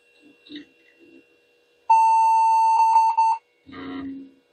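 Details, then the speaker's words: Salvaged vintage e-waste PC powered on after memory was reseated: one long steady high-pitched beep of about 1.5 seconds in a quiet room, a POST error; video card problem suspected, not confirmed. "beeping error I'm wondering now if it's a video card if it's detecting a video card problem"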